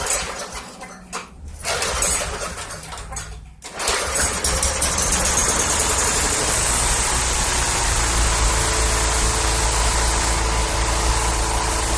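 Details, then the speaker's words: 2012 Yard Machines 11A-A54R729 21-inch push mower, Briggs & Stratton 158cc 500 series, new carburetor, tune-up and plug, cold start with primer: fires on third pull, fast steady even putter with no misses, runs healthy. "Awesome. Like the third pull started right"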